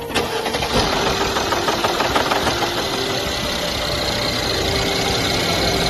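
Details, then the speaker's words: Mercedes M276 V6 at about 150,000 km, cold start: brief metallic rattle on catching, then busy idle; caused by a failed, slipping camshaft adjuster, fixed by replacing the intake sprocket. "第二个问题就是车辆行驶到15万公里左右，冷车启动发动机会有哗啦啦的响声，伴随着点火"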